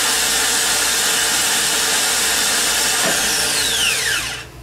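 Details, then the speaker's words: Harley-Davidson trike reverse motor bench-tested with battery leads, ground clamp on buffed ear: smooth high electric whir as Bendix extends and turns counterclockwise facing drive end, gears spinning slowly, then winding down; working properly. "here's what it looks like and sounds like when everything is working properly you'll see the Bendix come out and turn in a counterclockwise fashion facing the drive end as the arrow indicates and you'll be able to hear the gears spinning and you'll notice the slow speed of the gear"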